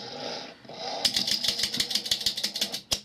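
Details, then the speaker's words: Philco 39-116 radio remote-control relay selector stepping with about a dozen crisp, even clicks and no grinding after repair; lights rotating as they should. "i'm going to turn the mystery control and now you can hear the relay no grinding"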